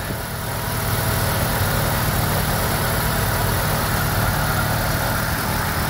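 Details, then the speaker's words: 1990 Mazda RX7 rotary, rebuilt and about 2,200 miles, running after a radiator replacement while the coolant bleeds: a smooth, even, slightly raised hum at about 1100 rpm with no misses or knocks. A normal cold fast idle, expected to drop to about 750. "Alright, so now we've been running for a couple of minutes, and well, we're still idling at 1100. It should drop down to about 750 here shortly."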